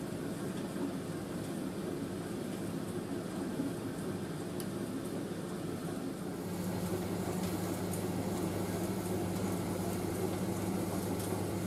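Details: Indesit IS31V 3kg compact reversing tumble dryer drying a load including a cover, drum reversing about every 70 seconds to stop tangling, before final cooldown; steady soft rumble and whoosh of tumbling, no knocks, squeals or scraping, running properly.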